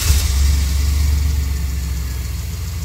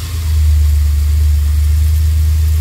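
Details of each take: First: 2002 Chevrolet Express with a 4.3L engine and a P0300 misfire, after the codes were cleared and a CKP relearn was done: a steady, even low idle with no stumble. The earlier cylinder 1 and 4 misfire counts are gone. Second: 2002 Chevrolet Express 4.3 L V6 at idle with a P0300 code. The scanner shows misfires on cylinders 1 and 4, yet the engine sounds and feels smooth, with a steady, even idle and no audible skips. Misfires increase when accelerating and releasing.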